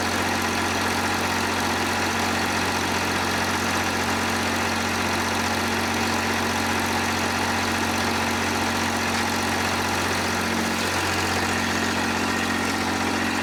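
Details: John Deere 350B bulldozer, rebuilt diesel engine: deep, steady idle with an even, unbroken beat, no misses or knocks; normal idle.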